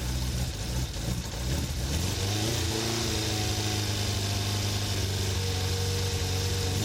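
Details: Kawasaki GPX 600R four-cylinder, £150 bike, starting with vacuum gauges fitted before carburettor balancing: fires up uneven and lumpy, idle stumbling and hunting, not settling; runs rough, carbs suspected out of balance, not confirmed.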